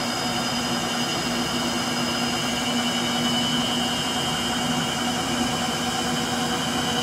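Loud jet-like rushing roar with a steady hum and hiss as the drum spins fast, pointing to failing motor bearings.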